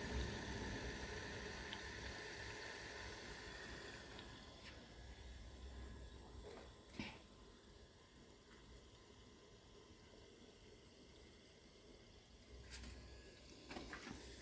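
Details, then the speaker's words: Midea dishwasher under repair for a wash motor that won't start, drain motor already working; steady soft hiss of water filling with a few faint knocks, filling normally. "just now it's taking water inside the machine so what I've already taken to them machine"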